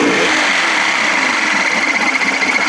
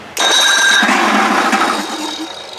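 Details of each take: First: Evinrude 55 hp two-stroke outboard running after reassembly and choking, loud, with a fast, slightly uneven scraping rub about four per second, recurring every start; owner suspects something rubbing under the flywheel. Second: Evinrude 55 hp outboard after starter repair (previously whined high and squealed), cranked without fuel connected: strong, steady whir turning it over evenly with no squeal or grinding; starter sounds good.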